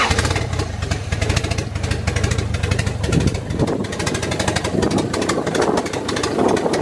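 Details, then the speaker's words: Honda Integra with B20V eBay turbo setup, started by jumping main-relay ground after wiring-harness fix; lumpy uneven idle with stuttering pulses because 1000 cc injectors run on a tune made for 550 cc injectors. "It's gonna be running a little weird right now because it is on 1000 cc injectors, and this tune right now is for 550 cc."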